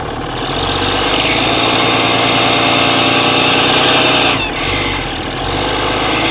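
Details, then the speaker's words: Cummins diesel work truck, 239,000 miles, power-braked while listening with a stethoscope; noise began as a squeal only with the exhaust brake and worsened: sharp ticking puff with a hissy edge over the engine; exhaust manifold leak. "Let me walk you through some of the reasoning that me is more of like a service advisor when I hear that and just think, based off the customer's description, that it was an exhaust leak."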